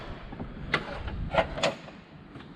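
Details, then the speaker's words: 2003 Jaguar S-Type R, boot lid moved with engine off: a few light loose knocks and clatters as something loose rattles inside the boot lid. "You can hear something's loose inside. That's kind of annoying."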